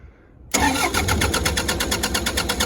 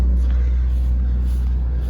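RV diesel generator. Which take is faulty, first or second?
first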